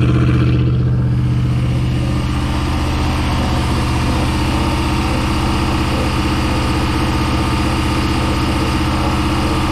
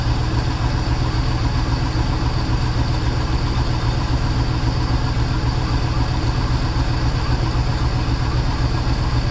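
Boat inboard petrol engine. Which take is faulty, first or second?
first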